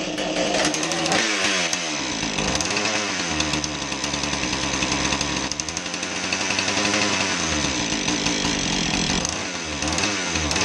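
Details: Husqvarna 435 chainsaw after oil pump repair for not oiling the bar: buzzy two-stroke revving up and down cleanly with no misfire or stumble; normal running.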